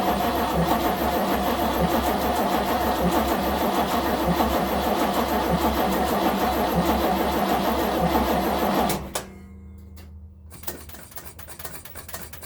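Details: 1970 Nova SS, first cold crank of 2023 after sitting since October 2022 with no battery charging: steady starter churning about three turns a second for nine seconds, never catching; cranks but no start.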